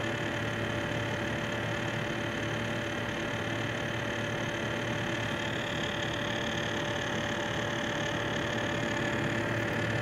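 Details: Corsair H100 liquid CPU cooler pump: steady buzzing hum with gritty rattling grinding; owner hopes voltage droppers will fix it.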